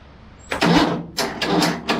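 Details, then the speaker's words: MTD twin-cylinder ride-on mower, sat outside five years, cranked on a car battery and jump starter: three bursts of starter churning, never catching. The fuel put in had leaked out near the fuel pipe. "looks like it's not going to be that simple i sort of expected to have to strip it down and fix a few things"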